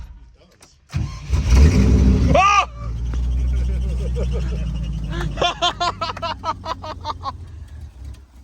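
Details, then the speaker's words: Classic Range Rover 3.9 V8, abandoned for years, first start attempt: cranking catches with a brief rising burst, then stumbles and fades; fires but won't keep running, owner suspects bad or watery old fuel. "Nothing yet. Oh, that sounded like it wanted to go,"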